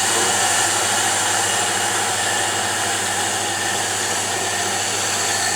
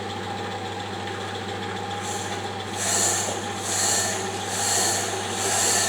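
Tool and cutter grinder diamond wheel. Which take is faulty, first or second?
second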